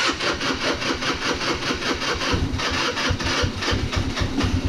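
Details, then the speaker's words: Baotian 125 scooter, cold, just after fitting a new Chinese carburetor. Small single thumps at a quick, fairly steady pace, slightly uneven while cold; it starts and idles without stalling, though owner thinks it may need adjustment: normal cold idle. "Je suis au ralenti. Ah ouais, la canne même plus. Il démarre au ralenti. Peut-être un réglage, hein, mais bon. Pour l'instant il est froid. Et déjà il cale plus du tout."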